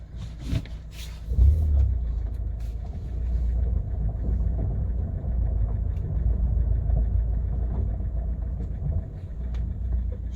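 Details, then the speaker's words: Kia Cerato with 472,000 km, after replacing worn door hinges: steady low road rumble while driving, including reversing, with no knocking from the doors; the hinges were the cause. "ура ребят все сделали значит дело было петлях дело было петля"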